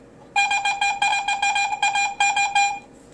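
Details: Garrett AT-Pro metal detector air test in Pro mode, zero iron discrimination, sensitivity 6, with a 1941 silver Mercury dime passed at one inch: repeated high warbling tone pulses, about nine bursts in 2.5 seconds, a strong high-conductor target.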